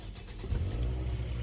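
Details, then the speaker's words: Toyota Vios Gen 2 starter motor tested after its carbon brushes were replaced, which fixed the no-crank problem. It gives a brief, smooth, even crank with no grinding or clicking; the starter sounds healthy. "Jos. Enak banget suara starternya juga ya kan."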